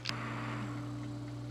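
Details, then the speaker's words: Dell Inspiron N4020 laptop after repair of its noisy processor cooling fan, warmed up during onboard diagnostics: one click, then a faint steady hum with no rattle, buzz or grinding; fan running quietly; normal operation. "it was on and just shut off which means it's operating properly and you heard hopefully that wasn't making noise i'll wait till it turns on again so now you can hear it run nice and quiet"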